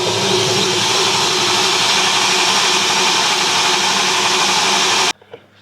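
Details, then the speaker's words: BMW E30 M3 track car with S65 engine, first crank on the starter after rods apart and oil pan modified: about five seconds of steady, even cranking, no knocks or rattles; bottom end sounds sound. Afterwards it runs with 6.5 bar oil pressure. "Well, no knocks on the starter mode, so that's a good start."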